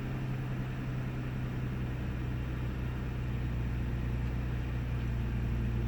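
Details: 1998 Ford Taurus SE V6 OHV idling with the hood open; a low uneven drone with a loping pulse, sputters, misses and mild rpm fluctuation. Earlier the idle swung 400-1000 rpm with no warning lights. Cause unknown.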